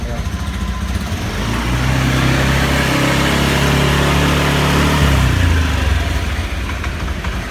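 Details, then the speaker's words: Used 2018 Honda Beat automatic scooter, inspected on purchase day: throttle blipped, engine climbs cleanly from idle to steady high rev and drops back without popping, hesitation or bogging; normal throttle response, engine judged fine. "sejauh ini kalau kita coba gas itu masih normal bawaannya. dia tidak tidak meletup-letup lah."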